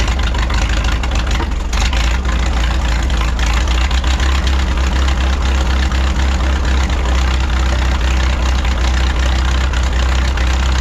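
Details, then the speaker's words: 1951 Farmall M tractor at warm idle after oil change and rebuilt carburetor: deep steady rumble, smoother than before, but still occasionally stumbling, popping and missing; intermittent knock also persists; spark plugs to be pulled for clues. "now the tractor is running a lot smoother than it was you know since we put the rebuil carburetor on there but it's still popping and missing every once in a while and it shouldn't be doing that"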